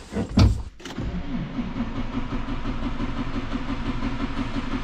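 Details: Farm diesel cranked on a frosty morning after about minus 7 overnight, fuel primed and cycled to purge air: starter churns at a steady, sluggish rhythm for several seconds without catching; hard cold start until it builds pressure.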